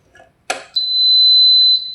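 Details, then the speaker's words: Japanese 110 V induction cooker, dead after being plugged into 220 V, powered via stabilizer on 110 V, tested without IGBT fitted; a click then one steady high beep about a second, showing the control module works. "Oke, Teman-teman itu menunjukkan modulnya bagus teman-teman ya. Ini kalau modul sudah berbunyi ini berarti bagus teman-teman."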